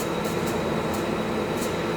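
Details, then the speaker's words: 1968 Ford Torino revived engine at idle with a known header exhaust leak up front and a suspect carburetor: thin high whistle with irregular sharp hissing sizzle; source unknown, owner suspects exhaust or vacuum leak or oil draining back. "I got exhaust leak. What is that noise? [Music] Hear that sizzling sound?"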